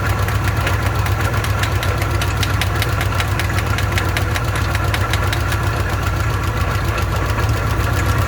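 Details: Old car with an old carburetor, bowl filled by hand: uneven lumpy idle with irregular sharp ticks about four a second over a low drone, stumbling and fuel-starved; owner says the bowl isn't taking fuel and the fuel pump isn't pumping.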